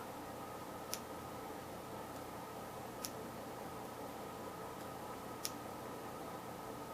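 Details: Westchester ignition test on the bench, coil wired to battery, no condenser fitted: quiet room with three sharp, dry spark snaps spaced unevenly about two seconds apart, only intermittent spark; owner suspects the battery connection.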